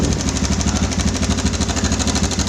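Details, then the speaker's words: Yamaha Bison motorcycle idling with a fast, rough metallic rattle from the cam chain tensioner. The rattle returns after the tensioner was adjusted and briefly quietened. "Tapi kelamaan suaranya muncul lagi."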